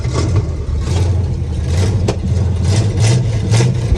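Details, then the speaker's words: 1976 GMC Sierra 2500 4WD small-block 350 (new headers, coil, wires and plugs), just revived and fed fuel through the carburetor: V8 revving in uneven, lumpy, wavering pulses. It runs rough, cause not yet known; power steering not working, probably no fluid. "Oh my gosh. Definitely don't sound the best."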